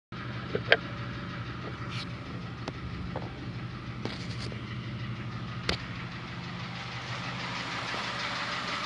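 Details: Honda Fit gasoline engine at cold idle: busy, clattery tapping over the hum, like an old diesel Kombi or old sewing machine; lessens somewhat once warm; car taken to a workshop, source not yet identified.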